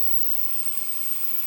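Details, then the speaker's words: Good ozone dielectric cell on a test box, isolated from the generator, potentiometer raised from minimum (about 9000 Hz, 15 W) toward full power (7600 Hz, 420 W): a steady high static hiss with a faint whistle, no crackle. Normal cell hiss. "you can hear the hissing sound you hear that from the cell sounds normal"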